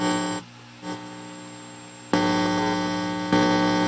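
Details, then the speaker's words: MIDI-controlled Hammond tone generator: a constant low 60 Hz mains hum with a bright edge that gets louder when tones play. Everything is on one outlet strip, and the hum changes with how the frame ground is connected; suspected ground loop. "you can hear the 60 hertz pum in the background"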